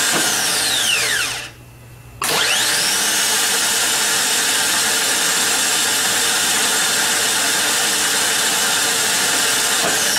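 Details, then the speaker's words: Harley-Davidson trike reverse motor bench-tested on a battery, spinning up to a steady, even whir, dropping out briefly, then running smoothly; the Bendix extends and turns counterclockwise and gears spin slowly, so it is working properly. "so here's what it looks like and sounds like when everything is working properly you'll see the Bendix come out and turn in a counterclockwise fashion facing the drive end as the arrow indicates and you'll be able to hear the gears spinning"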